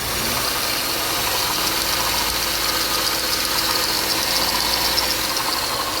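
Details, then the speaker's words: 2007 Pontiac Grand Prix idling after ICM harness replacement, AC compressor removed: constant high-pitched squeal from a belt-driven accessory at the front of the engine, suspected the brand-new power steering pump; owner also feels something inside the engine sounds unhealthy. "now which one of these is squealing like that that's a brand new power steering pump"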